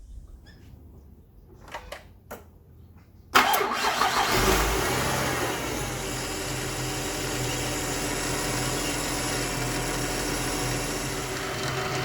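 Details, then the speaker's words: 2010 Ford BF Falcon wagon engine at idle after start: steady faint whirr from a serpentine-belt-driven component, owner thinks not the power steering pump or alternator but near the leaking water pump; belt-driven pulley bearing suspected, not confirmed. "So it's something that's being driven by the serpentine belt here, but I'm pretty sure it's not the power steering pump or the alternator because it's coming more from over here."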